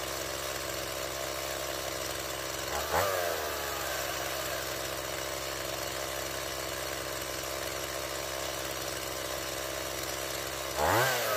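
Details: Stihl MS170 chainsaw after a new fuel line and a swap from a non-adjustable Chinese carburetor to the original Zama: steady buzzy idle that picks up cleanly on two short throttle blips, then settles. It previously wouldn't start and idled very high; now runs well.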